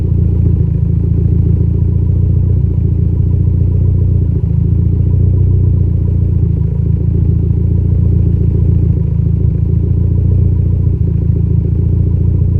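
Low, deep idle with an uneven loping beat around three to four pulses a second; a mild misfire still stumbles through.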